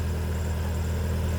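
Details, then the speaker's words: Acura RSX Type S at idle: steady low drone with a faint whirring note that changes with clutch pedal travel, heard with the clutch pressed; worn throwout bearing. "clutch in clutch in ah it's a thr bearing okay all right let go of the clutch you hear it clutch [Music] in clutch in that's the throw bearing you hear"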